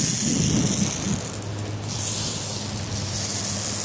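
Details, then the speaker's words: Zone five in-ground sprinkler rotor head at spring start-up after winter: hissing spray with quick steady ticking as the head rotates, even and uninterrupted; this head is working fine. "and zone five here last head on that clean all that off and that's all good seems to be firing well"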